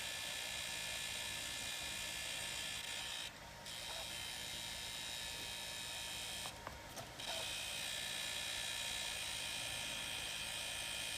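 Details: Wii U console makes a thin, high-pitched whirring buzz with a faint regular flutter of about four pulses a second; the noise persists with the fan and optical drive unplugged, so the cause is unknown.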